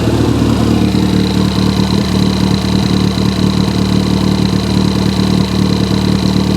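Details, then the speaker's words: Recovered stolen Ford Fiesta ST180, started with newly programmed keys, no exhaust fitted and no coolant: a loud, open, raw idle with steady, even firing and no knocks or misses. The engine sounds fine, so normal idle. "this one sounds fine this sounds fine um so i'm happy with that actually"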